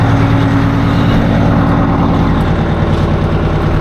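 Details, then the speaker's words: 1980 Peterbilt 359 at idle: heavy, uneven, lumpy beat with stumbles, one cylinder not firing; owner suspects a failed injector, one cylinder running coldest and slobbering, needs a tune-up. "poor old trucks running like it ought to be smoother than that I'm not happy with it we'll have to mess with it boys"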